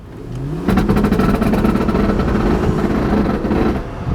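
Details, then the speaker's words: VW Touareg under hard acceleration from a standstill, heard from inside: engine note climbing with a rough metallic knocking from underneath that also feels bad. Transfer case knock under acceleration. "sound very good it doesn't feel good either underneath of us so we're gonna go inspect that to see what that horrible noise is"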